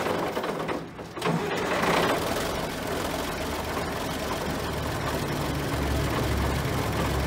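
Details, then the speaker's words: John Deere 770A motor grader diesel, sat five or six years, running after fuel-delivery lever fix: loud steady clatter at even beat after brief dip, strong, no misses, no smoke; normal running. "there you have it the old John Deere 77 770 still runs we got it fired up sounds really good no smoke coming out of it real strong sound and motor on it"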